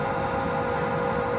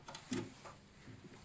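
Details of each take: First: Swegon Casa W80 heat recovery ventilation unit, heat exchanger removed, fan motor running; steady low hum with faint pulsing waver from dirt caked on the fan impeller blades: fan impeller imbalance from dirt buildup. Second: Swegon Casa W80 heat-recovery ventilation unit, after cleaning dirt from fan motor impeller, only cleaned motor running; fan starts about five seconds in, smooth even run, slight hum at startup expected to fade.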